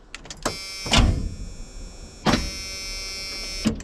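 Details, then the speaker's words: Classic White Freightliner truck that sat in the cold: short, labouring starter whirs that die away without catching, a slow, weak crank; owner suspects dirty battery connections and plans to charge the battery. "I think it's just the connections are dirty so I think what we'll do is charge this battery"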